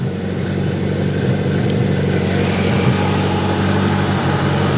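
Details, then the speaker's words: Grinnall Scorpion kit car, radiator cooling fan running with a temperature probe taped in its outlet reading about 51°C: steady whooshing rush over low engine hum, no rattle or rub; fan healthy. "see I've taped this little temperature probe here in the outlet of the fan the fan is still running and you can see we're at 51 degrees 51 degrees C"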